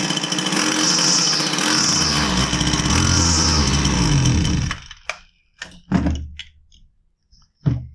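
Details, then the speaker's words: Husqvarna 122C two-stroke string trimmer that starts but won't rev: buzzes unevenly and surges only while the choke is feathered, then sputters and dies in scattered pops; starving for fuel (bad fuel, filter, fuel line or carburetor suspected). "so if you noticed I was able to feather the choke and keep it running kind of so that means that it's starving for fuel"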